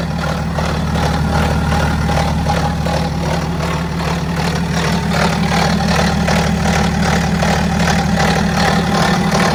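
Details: BMW X5 F15 diesel idling: fast, slightly uneven metallic rattle about three a second over the diesel clatter; suspected stretched timing chain, not confirmed.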